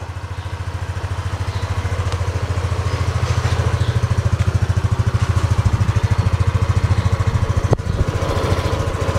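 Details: Yamaha Aerox scooter after sensor setting (CKP, injector) via Android tool, no disassembly: steady, even low single-cylinder thump at idle, no misses or knocks; idle sounds more even.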